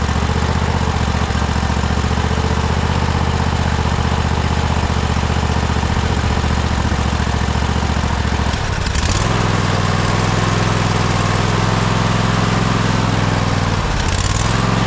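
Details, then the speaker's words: Cub Cadet Super LT 1550 lawn tractor single-cylinder engine, with carb spray fed: idles unevenly, sags twice, stumbles then catches again; keeps running only while fed ether; runs only on starting fluid. "Man, so close. Heat. Heat. This is crazy. We're just We're just feeding it ether."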